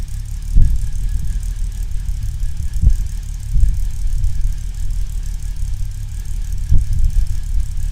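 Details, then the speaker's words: 1970 Mercedes-Benz 280SL on pre-purchase inspection, second start, left idling about 15 seconds: lumpy idle with occasional heavy stumbles, never settling; misfire felt, not firing correctly, cause unknown. "I let it idle on its own for I think there's like 15 seconds or so and so you can hear how it kind of struggled a little bit"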